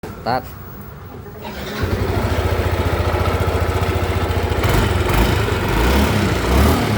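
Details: Yamaha N-MAX scooter engine running with a steady low knocking rumble, about two to three beats a second, coming from inside the engine.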